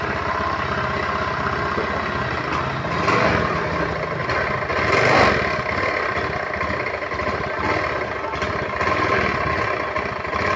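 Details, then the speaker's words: Honda automatic scooter, hard to start and stumbling badly once running. Uneven idle with irregular dips and surges. Faulty EOT (oil temperature) sensor blamed; fixed later by replacing the sensor with a bolt. Before the fix: engine stumbling at low rpm. "Ini motor hidupnya susah setelah hidup jugab Parah"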